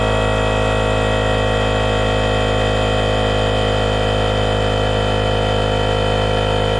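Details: RIDGID 18V cordless air compressor, Gen5X brushless motor, model R0230, filling its tank to about 100 psi: steady, even motor drone with a fast pump beat at constant pitch; the compressor sounds healthy.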